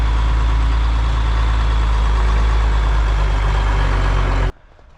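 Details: Semi truck, cold start after the fuel shutoff was fixed: a deep, steady diesel rumble with an even beat of about four per second and no misses or knocks; a smooth, healthy idle.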